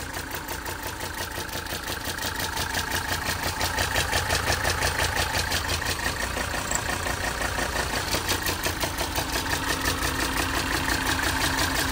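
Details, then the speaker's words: 1980 Mercedes 300SD turbo diesel, 141K miles, starts right up with no excessive smoke: even, regular diesel clatter at steady idle with no misses or knocks; a separate interior rattle is unrelated; healthy normal diesel idle. "engine bay is in very good shape and the motor sounds very healthy"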